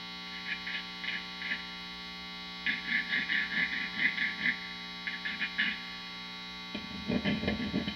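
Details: Vintage Fender Telecaster neck pickup, microphonic: light taps and rubbing on the bobbin come through the amp as loud clicky thumps over steady mains hum, still strong after a wax cushion was added inside the pickup cover.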